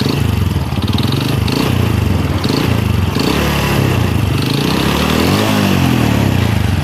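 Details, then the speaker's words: Honda Supra X motorcycle with rough engine noise: heavy, rapid knocking clatter sourced from the middle of the engine, characteristic of a worn connecting rod (big end) requiring engine teardown. "Baik kang Bro untuk suara mesin kasar semacam ini berada di tengah untuk sumber suaranya ya"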